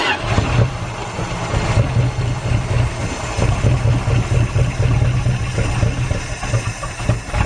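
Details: Derelict Dodge D150 pickup fired up after long sitting, with battery and ignition hooked up, fuel poured in and the fuel line disconnected because yellow scuzzy fuel is coming out. It runs with an uneven, lumpy low pulse that wavers and stumbles: rough idle, cause unconfirmed.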